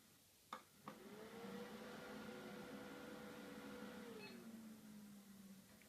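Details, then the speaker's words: Dell Inspiron 530 desktop at power-on: two sharp clicks then a rising whir that holds steady, hard drive light solid; suspected failed hard drive, not confirmed. "Oh, it is clicking now. Did you hear that? I think the hard drive has finally failed then."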